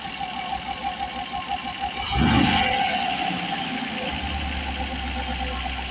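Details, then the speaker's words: Rover V8 with new 3.9 EFI cylinder heads, fully hot, idles evenly under a steady airy hiss, like escaping gas, from the head area with a faint pulsing note; it runs, starts and revs cleanly, cause unknown. "It sounds almost like it's sort of like a gas type thing as in, you know, escaping gas or something. Really odd."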